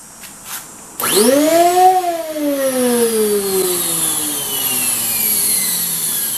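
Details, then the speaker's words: Craftsman 12-gallon wet/dry shop vac, really noisy with no suction: motor whine sweeps up fast then sags slowly, loud and rough; debris clogging the fan impeller vanes. "it's really noisy but it doesn't have any vacuum let's see why"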